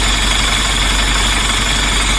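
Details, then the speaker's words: DAF LF Euro 5 truck diesel at 712 rpm idle during an AdBlue metering test after replacing the faulty Emitec AdBlue pump; steady even idle with faint high hiss, pump now dosing normally. "We've got engine idle speed at 712 RPM. Let's see what happens now. Well, this sounds good to me."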